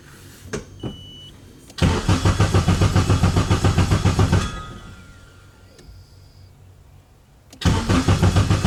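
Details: K24-swapped Nissan Cefiro at its first start cranks in two steady bursts, about 3.5 turns a second, and never catches; oil pressure is confirmed, but the ECU shows a cam signal error on a base tune from another car, with the ignition timing offset wrong.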